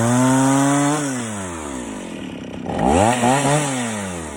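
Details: Stihl 041 AV chainsaw after rebuild (previously overheated and shut off after 10 minutes, badly scored piston), freshly ground chain with rakers taken down far; screams at high revs, bogs as chain bites knotty ash, climbs cleanly again; normal cutting.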